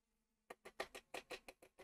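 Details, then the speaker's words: 1:200 Agora Models Bismarck model turret on power-up: after a brief quiet, small gears tick sharply six or seven times a second as all four turrets calibrate to center, normal. "hear that clicking of the gears that's just it calibrating to center and then they'll go back"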